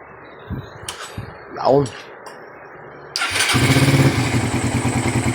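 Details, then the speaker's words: Suzuki Raider 150 that was misfiring, stalling and backfiring, heard after the fix with a temporary hose and a 28 carburetor: clatter, then it catches and settles into an even, steady idle with no pops or backfires. "So papak papakita ko lang sa inyo na hindi na magba-backfire po yan."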